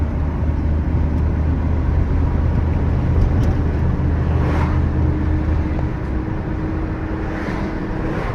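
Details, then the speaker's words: 1988 Chevy C2500 Silverado, 95,000 miles, driving at speed: thin whine rises under throttle and disappears off throttle; no whine revving in neutral, so not the engine; owner suspects transmission or possibly a U-joint. "let off on the gas no wine give it some gas there's wine letting off on the gas no wine give it some gas wine so this is not the motor because when I put it in neutral and I rev it up there's no sound so it's definitely not the motor itself"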